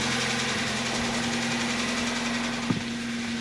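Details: Kia Rio with the G4FC engine at about 200,000 km: loud, irregular knocking over a rough idle plus new oil consumption, after a spark plug failure damaged the cylinder; the engine needs a full rebuild.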